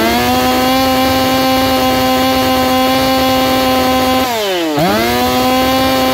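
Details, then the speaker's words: Saw Fest 4910 50cc race chainsaw, carb leaned after running rich, out-of-box chain with about 25–30 cuts: steady high-pitched two-stroke scream, brief dip and snap back; clean crisp top end with no burble. "but uh she sure sounds like she's going up there so let's tack it and see where she's at and I'll do a few test cuts"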